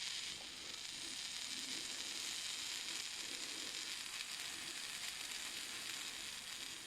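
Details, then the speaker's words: Strong 120II manicure/nail drill handpiece brought in for repair for loud rattling: a harsh, gritty high-pitched buzz with a sizzling rattle; the bearings are very worn, the handpiece is clogged with dust, and the carbon brushes are worn to stubs. "Будемо ремонтувати, бо підшипники в дуже поганому стані."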